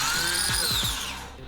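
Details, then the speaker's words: Car abandoned for years, starter tested on the bench with battery leads after suspected dead: short, clean whine as it spins freely then winds down, no grinding or clicking; starter works. "Okay, it works. Oh, shoot."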